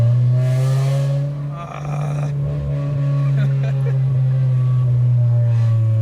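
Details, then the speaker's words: Honda Civic with resonator deleted and 2-step launch control, muffler broken by the 2-step: loud, deep, raspy drone held at about 3000 rpm, sounding like open headers; blown muffler. "it sounds like a hunger would open headers man it really does"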